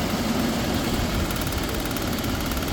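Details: 1999 BMW 528i back from a no-start, after a new fuel pump, six new injectors and new coils, with the immobilizer bypassed. Steady, even idle with a smooth low rumble and no knocks, misses or surging; normal idle.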